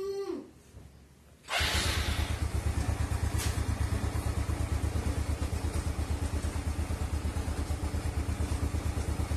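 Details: Small single-cylinder motorcycle after it had stalled; the old spark plug was burnt clean on a stove flame, gapped to fingernail thickness, and the valves adjusted slightly looser. It catches after a brief crank, then settles into a steady even putter about three beats a second, no misses.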